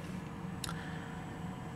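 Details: Desktop computer audio on a 3.5 mm line to a receiver, with a steady low buzz and one brief click. Constant electrical hum, attributed to a shared ground across multiple devices (ground loop); fix is a ground loop isolator.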